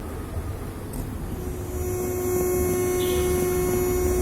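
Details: USB amplifier board: a steady low electrical drone through the speaker, with a thin tone rising partway through, before the humming fix; cause not confirmed.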